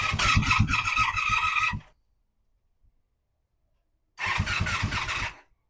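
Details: 1985 Honda Magna V30 V4 motorcycle on first start after carburetor rebuild, JB-welded tank, ignition bypass and radiator install: two short ragged bursts with uneven firing and loud clattering, dying each time; valve chatter, worse than before the work.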